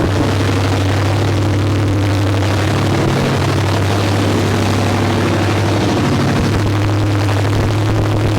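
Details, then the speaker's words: 1972 Ford Maverick with newly built 317 V8, first start after assembly, no coolant yet: deep idle drifts up and down in pitch and won't settle; carburetor floats too low, owner suspects possible air leak; unstable idle. "All right, well, it runs. Yeah, it just seems like it's bouncing around a little bit. It's not real consistent, so float's got to come up too."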